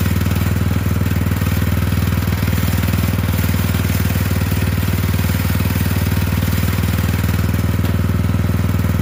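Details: Poulan 12538 XT riding mower, 12.5 hp, 38-inch deck, final run after new carburetor fitted, brake on: even steady low drone at constant speed, no surging or hunting; repair done, normal running.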